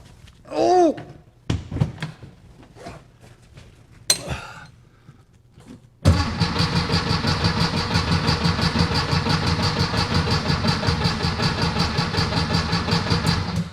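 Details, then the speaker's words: 1964 VW Beetle after tune-up with new rockers, carburetor and ignition parts, cranking with weak battery: after a few clunks it turns over slowly, about three beats a second, even but sluggish, never catching while fuel is checked. "don't if you could hear it but the batteries gone weak so we need this thing to light off like right now"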